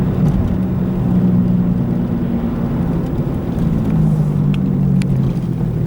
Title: How to recognize the noise of a bad wheel bearing while driving